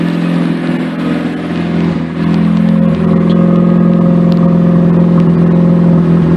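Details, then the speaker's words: Mazda RX-8 rotary after throttle body work, old coils still fitted: cold idle drone with occasional sharp pops and stumbles; owner reports a misfire code when pushed cold and hopes new coils, wires and plugs will cure it. "I don't know how well you can hear that but it's still a little bit of popping and stuff that I'm actually hoping these new coils will get rid of"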